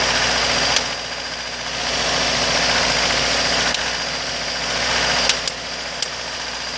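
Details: 2003 Acura RSX base with K20A3, warm engine: sharp, fairly regular ticking over idle, louder at about 1800 rpm; car runs and drives fine, loud tap only sometimes at idle; unidentified top-end engine tapping.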